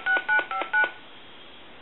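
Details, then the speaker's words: Harris TS22 lineman's buttset: number stored to memory, then recall one pressed; four crisp, even touch-tone beeps about a quarter second apart, then a click; memory redial works cleanly. "I'm going to dial my number hit store and I want to hit recall one so now I can hang up recall one and it'll redial that number hang up recall"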